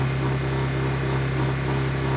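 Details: Used Honda EU1000i inverter generator, older model: steady, even hum with constant low tone, no knocks or misses; running smooth and healthy.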